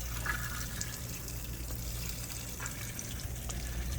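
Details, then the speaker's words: Shurflo RV/camper fresh water pump repair: after lines reconnected, water rushes from the tap with irregular spits and gurgles as trapped air purges from the lines. "now you hear the air contouring some of the system here"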